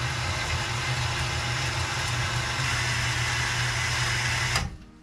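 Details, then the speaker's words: Newly plumbed boathouse water pump, first start charging pressure tank with outlet valve shut: steady even motor hum at constant pitch for several seconds, then shuts off cleanly; primed right away, running normally. "so here we go the first start of the pump see what happens [Applause] well it sounds like it picked up the prime right away"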